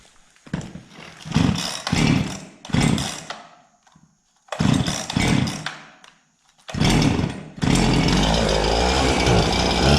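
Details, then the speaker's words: Husqvarna 365 chainsaw with low compression after a new piston and cylinder: several pulls and short firing, then catches and holds a steady high buzz; normal running. "so what I mean about four stroking is when you're revving it at full Full Throttle there no load it should here that's that's it hitting fuel in the top end it's got a lot of fuel which is good"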